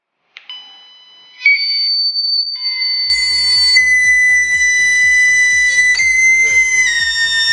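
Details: Laptop giving a steady, high, flute-like whistle over its sound that barely shifts in pitch. A faulty internal speaker is suspected; one speaker is disconnected and the laptop restarted to test.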